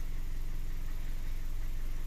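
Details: Car that stalled while driving, with an old oxygen sensor fault code, after a scan check: steady even low idle with smooth regular pulse, no misfire or knock; normal idle.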